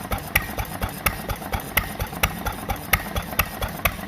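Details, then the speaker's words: 1940s Fairbanks Morse 3 hp hit-or-miss engine (max 800 rpm), just revived after probably about 30 years idle, started with the decompression valve and intake hand-choked: sharp firing pops with rattly clatter, about two a second and slightly uneven. Normal hit-or-miss running. "This engine has what's called a hit-or-miss governor."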